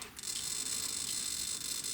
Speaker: You hear that squeal? That was the clutch going. And those tires didn't move.